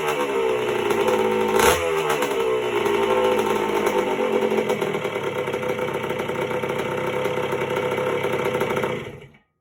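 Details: 1977 Honda CR125M Elsinore two-stroke just after a top-end rebuild (piston circlip had come off), not yet heat-cycled: a crisp, even ring-ding that blips once, settles into a steady run, then cuts off. Normal running.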